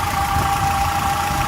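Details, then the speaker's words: 1995 Nissan D21 Hardbody pickup after crankshaft seal repair; brief valve clatter at first start after sitting without oil, now steady idle with constant whine over smooth low rumble, no ticking or clatter; normal. "Well, there she is, purring like a kitten."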